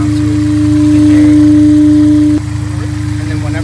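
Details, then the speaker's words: Honda S2000 idling with a K&N OEM-style aftermarket filter fitted and the airbox lid off: a steady high intake whistle over an even idle, which goes away when the lid is refitted. "then whenever I put the box back on, it goes away. So it just sounds like it, you know, sucks in more air."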